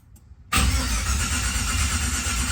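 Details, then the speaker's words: 1987 Monte Carlo SS cranking with Terminator X EFI disconnected to build oil pressure before first start: steady, even starter whir spinning the engine without firing; normal cranking. "so let's give it a crank it won't crank up cuz I got the uh Terminator X loose"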